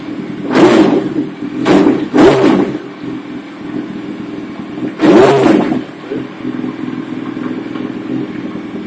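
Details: 2008 Yamaha R1 with common faulty starter motor buzzing, freed by rocking the bike in gear; once started, the engine idles steadily in neutral with four quick throttle blips rising and falling cleanly, engine cold.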